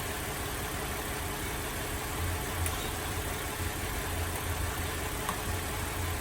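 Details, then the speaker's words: Holden VZ Adventra Alloytec V6 idling with an uneven, lumpy beat and periodic stumbles after coil-unplugging tests, with plastic covers off; misfire traced to a failed number 5 ignition coil pack needing replacement. "Alright, so it appears that our number 5 coil pack has said bye-bye and it's time to replace it."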